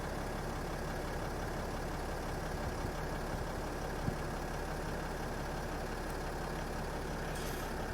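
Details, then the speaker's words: 2008 Freightliner Sprinter 3.0L diesel with a crank no-start and code P0335, after replacing the defective crank sensor: low, steady idle with no misses, knocks or surges; the engine runs evenly. "okay perfect so the problem was the problem was a defective crank sensor as you guys can hear the engine is running and we have a square wave here"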